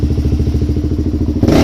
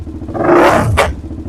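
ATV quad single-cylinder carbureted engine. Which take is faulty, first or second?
second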